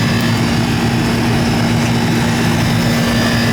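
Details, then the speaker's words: Old Goodman R-22 AC condenser that was running but not cooling, filter clean: compressor finally starts, steady even hum with low drone and fan rush, no knocking; normal compressor running, suspected hard-start issue, charge looks okay. "Eureka! The compressor just started. It's an old 22."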